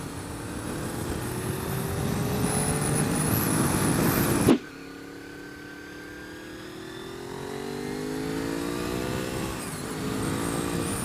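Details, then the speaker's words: 1998 Honda VFR 800 FI, 781cc 90° V4, liquid-cooled, gear-driven cam, Euro exhaust, riding: wind rush then V4 pulling up through revs with thin whistle rising with engine speed; normal gear-driven cam whine, reputed very reliable. "celle ci c'est une casquette de pignons et c'est réputé très très fiable peut-être que vous l'entendez cette distribution fait un bruit assez étonnant ce petit sifflement qu'on entend approcher du moteur"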